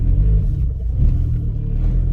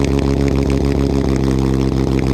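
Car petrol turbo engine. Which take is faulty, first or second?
second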